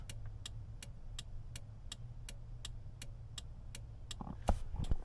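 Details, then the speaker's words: 7.3 Powerstroke diesel with rough idle, cold start next day (84°F outside): sharp steady turn-signal relay ticks, about 2.5 per second, over a low idling diesel rumble; owner suspects IPR for rough idle. "also my blinker relay under here"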